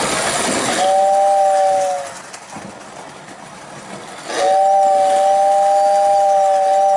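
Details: Lionel pre-war 48W whistling station tested with the roof on: steady two-note whistle sounds clearly twice, holding even pitch through each blast with the train running; whistle working properly.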